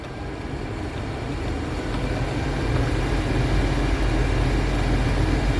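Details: Subaru Impreza cabin blower motor at a higher fan speed: heavy, uneven low rumble. The noise is gone at low speed and returns as the fan speeds up.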